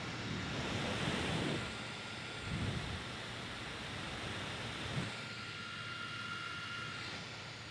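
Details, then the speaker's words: Surface Pro 4 i5 cooling fan, mic held up close, after ~30 minutes Fire Strike benchmark at max brightness while charging; airy rush with faint high whine dipping and rising as fan RPM shifts; normal fan at full load. "so I'm just holding the mic up there close to it so you can get an idea of just how loud it sounds I you can actually hear the the fan RPM changing when it chops down a little bit"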